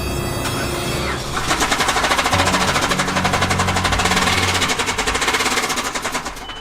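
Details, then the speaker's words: Land Rover Defender 110 with automatic gearbox and funny engine sound, started on petrol: harsh, fast, uneven heavy clatter with smoke; engine described as worst-sounding running engine, completely had it. "that is definitely the worst sounding engine like running engine i've ever heard in my life that has completely had it"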